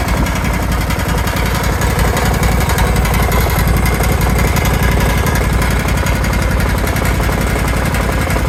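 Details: Kawasaki FH531V-BS06 18 HP engine running: loud, rough, fast uneven pounding knock throughout with heavy shaking, also leaking oil; owner suspects a bent crankshaft, cause not pinned down.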